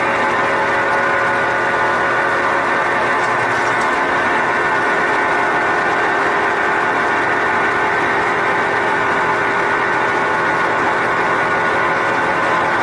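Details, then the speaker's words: Sears Kenmore Elite (Oasis) top-load washer, before repair: a steady, loud jet-engine-like whirring roar with a constant drone as the tub spins, getting louder; worn drive bearings. "that it is sounds like a whirring of jet engine and also the agitator in"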